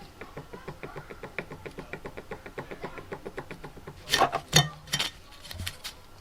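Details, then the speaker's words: Fiat 500 water pump removed during cambelt replacement, spun by hand in a vice: steady dry ticking about three per second with some clunks; bearing has play, suspected from running dry after a radiator leak, so worn pump bearing, new pump fitted. "so there's some play there so it is shot let's get the new pump on"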